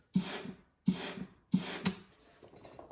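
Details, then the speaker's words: Turbo 400 transmission with manual valve body, forward clutch air test: three sharp air bursts each with soft thump as piston strokes; after a few tries it seals every time, transmission hydraulically good. "Had to release it a little bit, but now she seals every time. So, I'm going to go ahead and take it off. We've just tested it. We know hydraulically this transmission works."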